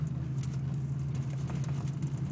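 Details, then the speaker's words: Mustang makes a steady low droning vibration hum with faint ticks, worst at 5–15 mph and seeming to come from underneath. U-joints, all four wheel bearings, and motor and transmission mounts have already been replaced without finding the cause. "and it always happens about 5 to 15 miles hour is when it gets worse like right here"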